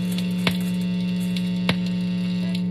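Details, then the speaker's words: Electric guitar in the neck position with two layers of tinfoil held over the pickup, strings untouched: steady low 60-cycle mains buzz with scratchy handling clicks, unchanged by the foil, so shielding does nothing to the noise. "does nothing shielding does zero to the noise of a guitar nothing"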